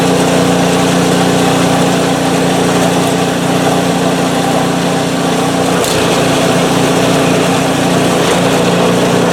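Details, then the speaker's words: PowerSmart 24-inch snowblower, first start after sitting without fuel since 2018: single-cylinder engine holds a steady, even buzz with one brief rattle; runs great, auger works. "so she's a runner awesome"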